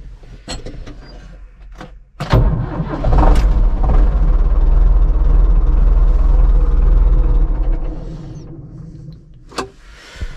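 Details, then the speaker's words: Fendt tractor diesel at minus 7 °C, which wouldn't start on a weak battery (12.7 V), catches at once after the new part is fitted and settles into a steady, even low diesel rumble; starts and runs normally. "läuft wieder. Ach, genial. Was so ein Orlaser ausmacht, ne? Der funktioniert."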